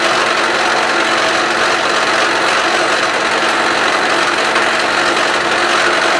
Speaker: you know you can see obviously and you could hear it with the chatter marks